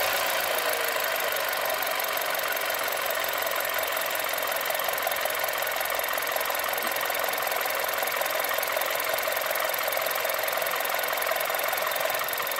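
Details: 1.2 TSI engine: rapid, fairly even knocking, about two to three raps per second, over rough running, heard as revs rise and fall; engine knock, cause unknown.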